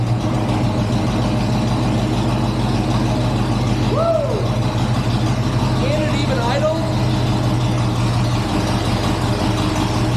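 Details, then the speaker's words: 1963 GMC C20 pickup, 394 Olds V8, unrun since 1998, gravity-fed fuel to the carburetor: fires on first crank and settles into a steady, even idle with no knocks or misses. Normal idle. "idle I love that shut it off let's see if it turns back on now let me tell you you don't always get that lucky I'm surprised first crank it fired up woo that is exciting"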